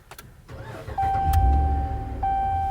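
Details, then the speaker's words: Fifth-generation Ram 1500 started right after replacing a weak battery in cold weather: short crank whir, catches at once and settles into a steady, even idle. Starts cleanly, and the intermittent check engine light is gone. "Fired up. No issues. And that check engine light that was previously there is gone."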